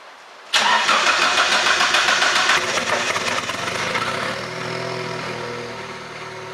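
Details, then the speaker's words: Engine's first start after an engine swap and rewiring (ECU power fuse fitted, fuel pump heard working): catches on the first crank, then settles to a steady, even idle with no knocks or misses; normal start and idle. "And you hear it start. First time. You see that? First time."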